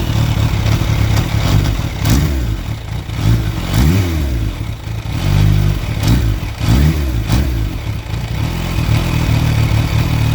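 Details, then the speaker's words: Kawasaki Ninja H2 idling and blipping the throttle with a loose, irregular clanking only at idle; it accelerates, shifts and clutches fine, and the source is unknown. "like everything else works fine uh like when I'm accelerating or when I'm changing gears everything is fine but it just when it's idling it's making that clanking sound so you don't know what it is"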